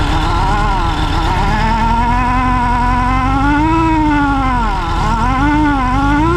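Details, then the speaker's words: 1961 VW Beetle with AMR500 supercharger on new 4-rib serpentine belt drive: steady whine rising and falling with engine speed, no slip or squeal; blower runs cool (about 82°, previously 320 with V-belt), normal supercharger whine. "so that's my progress you can hear it and it definitely makes a different noise when these are open and just blowing some air um but it does turn"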